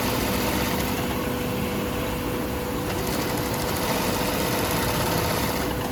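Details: Serviced 8365 high post-bed sewing machine running: fast, even mechanical chatter at about four beats per second with no knocks or binding; the machine runs smoothly.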